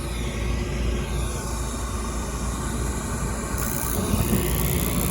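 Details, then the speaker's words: Daikin rooftop HVAC unit with no heat (suspected bad limit switch), thermostat bypassed by jumping R and W: the draft inducer exhaust fan runs with a steady, even whooshing roar through the flue, no rattle or scrape, before ignition; normal. "so i'm bypassing thermostat okay not bypass the eating furnace i'm bypassing the thermostat so my exhaust fan is on you can hear it very noisy through the exhaust"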